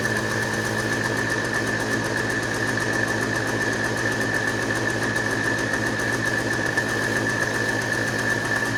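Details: Two-stroke started with ether after sitting, choke position uncertain: buzzy, high-pitched steady idle with a constant whine, running but not cleanly. Rough running after long storage.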